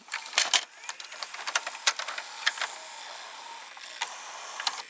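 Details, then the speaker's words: Panasonic PV-V4660-K VCR after a gear was shifted so the cassette seats fully. The loading motor gives a high whine with irregular clicks and clunks as it turns slowly and forces the mechanism, which is binding; the cassette now no longer ejects fully. "the model when it loads it forces more we can hear it we can see it has a hard time turning the mechanism"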